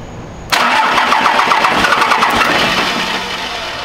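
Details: Cummins-swapped Dodge Ramcharger, first startup attempt after new starter wiring: the starter churns at about four even pulses a second, steadily weakening, and the engine never catches. It cranks but won't fire, cause not confirmed.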